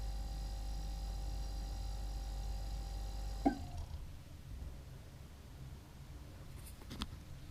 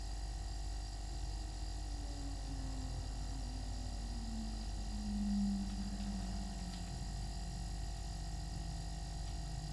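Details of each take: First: New Everglades compact refrigerator with freezer compartment: compressor hum stops at once with a single sharp clunk, the "weird corky noise" at shutoff, then faint refrigerant gurgling; compressor shutdown clunk. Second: New Everglades compact refrigerator with freezer compartment, compressor just started: steady low hum whose pitch sags slightly as it settles, no knocking or rattle; normal compressor running.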